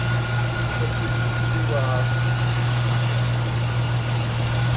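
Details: Normal idle of a 2004 Jeep Liberty 3.7L V6 4x4 at about 67k miles, just after replacing water pump, tensioner/idler pulley, thermostat and serpentine belt, during coolant bleeding: even, steady low hum with no knocks, squeals or belt chirp.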